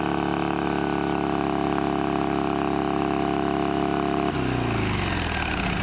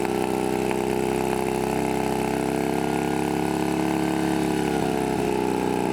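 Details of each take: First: Shovelhead V-twin chopper with new S&S knockoff carburetor and new fuel filter: runs fast and steady around 3000 rpm even with idle screw fully out, no real idle. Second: Shovelhead chopper with new S&S knockoff carb, after a throttle cable fix for high idle: steady, even V-twin idle with a firm low beat, no misses or surging, but it smokes heavily; head gasket or rebuild questioned.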